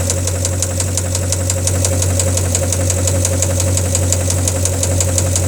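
Idling car engine with a steady, sharp knock tapping about three times a second over the low hum. Cause suspected, not confirmed.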